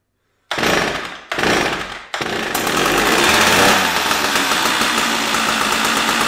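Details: Stihl 056AV chainsaw just after its failed Bosch ignition was replaced, no bar fitted, not yet warmed up: two short pulls catch, then a steady, crisp two-stroke idle. Sounds really healthy; still to be tested once warm.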